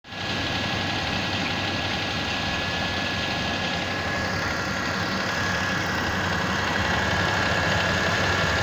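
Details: Mitsubishi Pajero 4 with 6G75 V6, cold idle: fast, fairly even tapping near four per second over the running engine; origin of the cold knock unclear.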